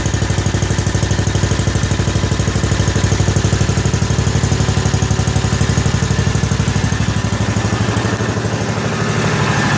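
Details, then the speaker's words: 1955 Cushman Truckster, first cold start after sitting a couple of years, idling on choke after the fuel was pushed past air in the line; even single-cylinder putt at about three beats a second, steady and unbroken, through a homemade exhaust: smooth, quiet, healthy cold idle. "Sounds as good on camera as it does in real life, but what a smooth running, quiet little engine this thing really is. I did a nice exhaust on it. Sounds pretty good actually."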